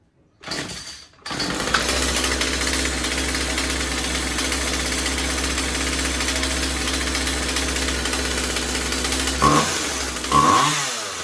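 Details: Husqvarna 36 Special vintage chainsaw after replacing corroded fuel lines and filter and resetting carb high and low screws (previously maxed out) to one and a quarter turns: fires after a pull, steady high buzz about eight seconds, clean blips; fuel delivery sound.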